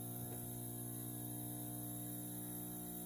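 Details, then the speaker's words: Magnum Energy MS4024PAE 4000W 24VDC pure sine inverter/charger, 240V input initialized, charging over 100 amps (about 85 A DC registered): low steady electrical hum, even buzz, no rattle or crackle; normal transformer hum under heavy charging. "can hear the buzz in the back so we put in over 100 amps"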